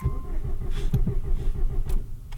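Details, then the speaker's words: Newly installed engine that ran fine until a pop/hiss while revving: starter turns it with uneven low chugging beats but it never catches, even with more gas; still feels like it has compression, owner suspects spark, fuel, head gasket or one dead cylinder. "Anyway, now it won't start, but it feels like it still has compression, and it might be a spark or a fuel issue. And maybe it is still like a head gasket or something."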